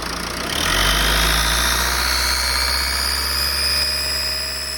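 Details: 2007 Ford C-Max 1.8 TDCi diesel: thin high whine from the intake slowly rising over the engine, present hot or cold, mainly on engine braking in 3rd gear from about 3000 to 2000 rpm, gone under load; no power loss, cause unknown.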